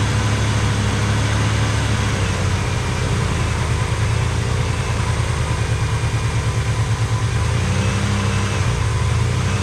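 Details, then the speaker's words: 1985 Pontiac Trans Am V8, 34,000 miles, parked since 1998. Steady, even idle with a smooth low rumble and no knocks or misses; sounds healthy. "But we got her running and it runs good. Okay. Well, she sounds good."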